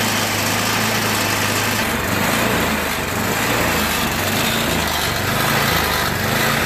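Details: MTD Yard Machines 8HP 24-inch snow blower with oil overfill that reached carburetor: small engine hunts up and down about once a second and runs rough; clogged carburetor bowl nut starving it, engine surging.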